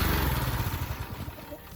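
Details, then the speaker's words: Small-engine pressure washer after carburetor repair (bowl pulled, jet cleaned): it now runs like a champ, a steady, even low drone with no stumbling or surging, a healthy engine. "You can hear this guy running like a champ now, ready to wash my friend's truck since I've been borrowing it and using it on and off."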